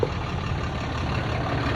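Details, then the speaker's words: 2010 Dodge Ram 3500, about 100,000 miles, after tightening fitting (18mm wrench) to fix hissing under dash (power steering suspected): steady low idle, even rumble, hiss gone; normal idle. "Take this one off and then let's start it. Okay. The noise is gone."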